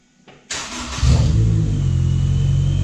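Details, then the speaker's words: Supercharged Honda S2000 (~407 whp) after Clutch Masters FX350 clutch install replacing failed bearing: brief crank, catches immediately, flares and settles into smooth steady deep idle; healthy start. "Sounds good, right? So, there you have it. Clutch Monster FX350 installed, ready for beast mode."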